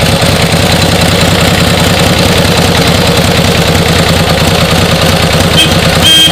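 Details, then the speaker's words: 1949 Harley-Davidson Panhead, original paint, finally started after hard kickstarting: loud lumpy big-twin beat with steady uneven pulses at idle, no knocks or grinding; runs well, just needs riding. "this is now I got it started this is a really awesome bike uh runs like a top just needs to be ridden"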